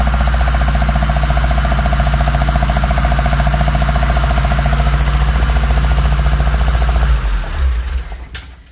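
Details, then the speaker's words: 1972 BMW 2002, 2.0L inline-four recently rebuilt with Ireland Engineering parts, second start after the work: steady rap about 210 a minute over the idle; owner doubts rod knock, source unknown; engine also weeping antifreeze. "I hear that snotty rappy sound I don't think it's a rod wrap but I need to figure out what it is"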